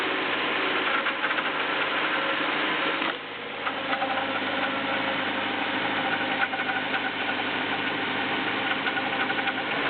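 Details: BMW E36 318is, M44B19 petrol engine on cold start: busy metallic clatter over idle, rpm hunting between 1000 and 1500; cause unknown, owner seeking help.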